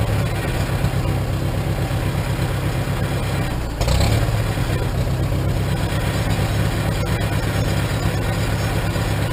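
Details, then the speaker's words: 1947 Farmall M tractor with a Farmhand loader, started after sitting two to three weeks, idling: deep, even, low-pitched beat with one brief blip; owner suspects a little carbon but says it runs pretty good; normal idle. "seems like it's running pretty good I get some fine-tuning sounds like it's got a slight hiccup it might be just a little bit of a carbon just then"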